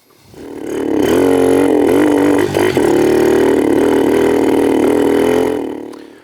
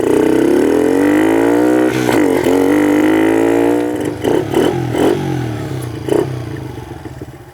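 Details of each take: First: 2006 Kawasaki KLX110 pit-bike conversion: tried an 88 then an 80 main jet, both worse than the 84. Revs up with a raspy, wavering note and a brief stumble midway. Lean running from too small a main jet. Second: 2006 Kawasaki KLX110 pit bike after carburetor jetting changes (main jet changed from 84 to 88, needle moved up): revs climb crisply and return cleanly to a steady idle, running much better than before tuning.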